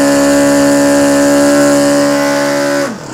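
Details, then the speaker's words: Restored OS FS 120 Surpass four-stroke model engine, first start during break-in, about 8730 rpm: screams at a steady high, clean note, still slightly rich, then revs drop off smoothly; healthy, strong running. "et on l'entend bien qu'il ronronne. Encore un petit peu trop riche, mais je vais le laisser comme ça pour aller dans les tours pour le moteur."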